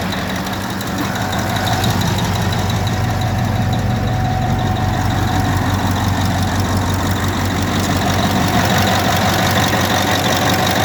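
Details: Caterpillar D9R dozer, 3408E diesel, idling with a rough, slightly knocky beat; hard starting and won't start when hot because injectors at cylinders 1, 5 and 7 are defective, leaking too much return at the injector oil drain hole.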